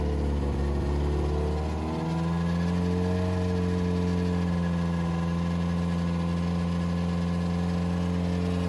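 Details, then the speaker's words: 2007 Subaru WRX swapped to STi engine, break-in run at about 2500-3000 rpm for 15 minutes: steady, even engine note at fast idle with no knocks or misses; normal running. "so we ran it at like 25 3000 rpm for about 15 minutes to break it in and as you can hear right now it's running pretty smooth"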